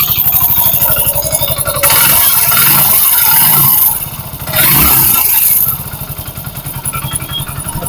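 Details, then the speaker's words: Hero Splendor BS6 single-cylinder motorcycle at idle before timing chain replacement; fast even ticking rattle about four a second that swells with revs: worn, slack timing chain. "तो दोस्तों आज हम में time च change करते हैं पहले इसकी आवाज देख लेते हैं आवाज किस तरह की है"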